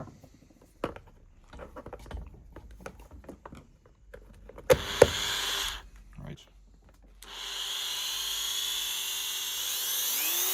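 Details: Water-damaged Dremel 3000 rotary tool with a previously seized shaft, after bearing disassembled and oiled, small grinder bit fitted: handling clicks, then a clean steady high whine with no rattle or grinding; repaired and running normally.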